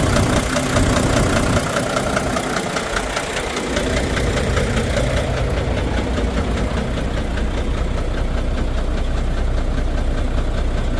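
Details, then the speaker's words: Volvo VNL D13 diesel truck: heavy, regular knock about 2.5 times a second over a lumpy idle, with low power and multiple misfires; the knock stopped when one injector was cut out, suggesting a suspected broken fuel injector. "So that only leads us to one problem, and that is a broken injector. And of course, it might be a broken injector because we have a noise, we have low power, and the engine doesn't run stable."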